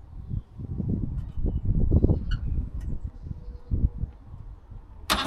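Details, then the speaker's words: Trabant 601 two-stroke during recommissioning, first start attempt: uneven low chuffing as it catches and settles into a loose, popping run; engine fires and sounds okay. "Okay, also ihr hört, der Motor springt schon mal an und klingt nicht schlecht."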